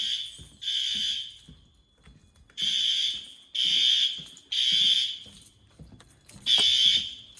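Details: Fire alarm test at pull stations in an old 1948 school, second floor: loud high-pitched horn blasts about a second long with short gaps, strong and steady; sounders working normally.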